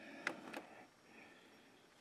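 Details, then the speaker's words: 2020 Can-Am locked in four-wheel drive, front end turned slowly by hand. It gives a few crisp clicks half a second to two seconds apart. The front driveline's stripped spline is slipping, so the shaft is not turning. It is quiet in two-wheel drive. "you see that spline right there that's where it's slipping"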